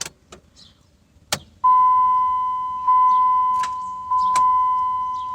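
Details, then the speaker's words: 2002 Dodge Ram 1500, no-crank complaint, hot weather: key turned gives one sharp click then only dash chime, engine never cranks; starter suspected, not confirmed. "know if you guys could hear that but I just got a single click try it again"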